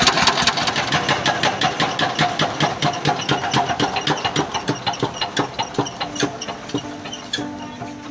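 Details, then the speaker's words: S1125 diesel at idle, not revved for fear of breakage, after running out of oil then being refilled and worked: rough running with a hard, evenly spaced metallic knock deep in the block every turn; worn, loose connecting rod. "Jadi, setelah kita dengarkan, ternyata suaranya kasar. Kemudian ada suara notok-notok juga di dalam ya."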